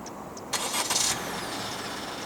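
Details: Malaysian-spec 2022 Honda City 1.5 E, 1.5 L L15Z naturally aspirated petrol engine with CVT, started by remote engine start from the key fob: short starter crank, then a steady, quiet, even idle; normal start.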